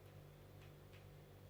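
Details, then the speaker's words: Anet A8 printer Y-axis stepper on a new BigTreeTech TMC5160 driver with an SKR V1.3 board, moving in its quiet direction: soft low steady hum with faint sparse ticks; the Y-axis is loud in the other direction only, owner suspects wiring. "And you'll see I'm able to move the x-axis, and it's a hell of a lot quieter than it was before. I mean, you can barely hear the thing."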